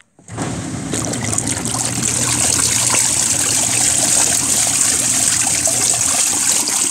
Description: This is a RV washing machine with a spin dryer.